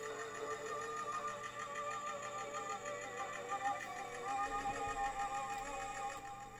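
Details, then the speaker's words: Stereo Step 120 portable cassette player (Walkman clone) under repair: music plays slow with a sagging, wavering pitch, as if the tape is dragging; there is also a catching sound. "uh and I've got some sound but it it The Sound sounds like it's it's dragging it's a little bit slow as well"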